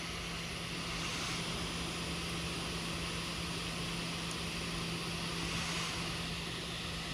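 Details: Brand new Lenovo ThinkPad P1 Gen 3: steady fan whoosh with low hum swelling and easing as the fan, usually under the left side of the keyboard, speeds up and slows every one to three seconds; cause unconfirmed.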